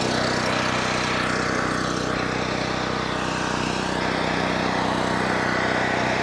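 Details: Cheap Chinese mid-size gas generator on first start: steady fast drone with a raspy, puffing edge over the engine note, an exhaust leak; fresh oil also seen leaking from the engine bottom.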